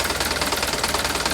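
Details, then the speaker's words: Mitsubishi Canter diesel truck at idle: steady clatter with a quick even tick on top. Owner suspects valve adjustment. Exhaust leak noted near the exhaust manifold area. "Cukup halus, tapi ada suara detikan tadi. Kemungkinan besar masalahnya ada pada penyetelan katup."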